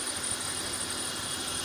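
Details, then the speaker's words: 2000 BMW 528i E39 six-cylinder idling after a cylinder 2 misfire with a P0340 cam position sensor code was fixed; even, steady idle with no stumble or skip. Normal idle after repair. "let's let this run a little bit let's get out of the car yeah I love an easy fix and that's it she's good"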